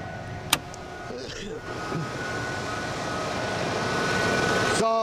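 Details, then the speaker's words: 1994 Ford F150 5.8L V8 with dual tanks, after fuel regulator replacement, just switched to rear tank: steady, even idle with no stumble or misfire, rpm easing down slightly as it warms up; normal idle. "I've now switched to the rear tank. The engine's still running. It's sounding good. You notice it's coming down in RPMs a little bit. That's just because it's warming up."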